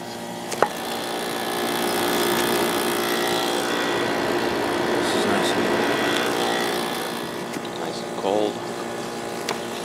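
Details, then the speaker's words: GE (Fedders-made) 10,000 BTU air conditioner with a Rotorex compressor, just cleaned and reassembled: a steady, even hum over soft hissing, gurgling refrigerant flow, with no knocking or rattling. It is running normally. "Lots of air going through there now. This thing has a real nice sound to it. Compressor sounds great. Getting some nice refrigerant sounds."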